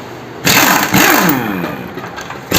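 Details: Suzuki Access 125 scooter: the starter churns, then the engine catches into a rough, busy idle with a buzzy top end, followed by another crank. Engine noise on start-up, cause unclear.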